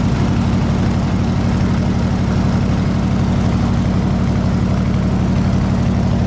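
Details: 302 V8 air-compressor engine, at operating temperature (160 degrees), 9 psi fuel pressure, re-ended plug wires: deep, even pulses about four per second at steady low speed, no misses or knocks; running smooth and healthy.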